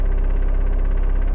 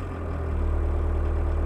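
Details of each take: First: 1.6L turbo diesel idling warm before high-idle adjustment, recorded inside the cabin: deep lumpy idle with a fast buzzy dash rattle from low idle speed; worse when cold as it idles even lower. Fix is raising the idle screw. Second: VW Mk1 Rabbit 1.6L turbo diesel, injection pump idle screw raised for winter, recorded inside the cabin with microphone on the driver's chest: steady diesel clatter at slightly raised idle with small swells; healthy, owner may lower it a hair.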